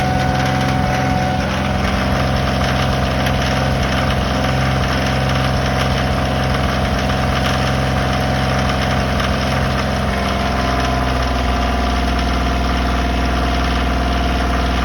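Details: Kioti small tractor diesel idling with a steady rhythmic light knock about three beats a second; dealership service manager calls it normal for Kioti engines, a prospective buyer says it is not; cause unconfirmed.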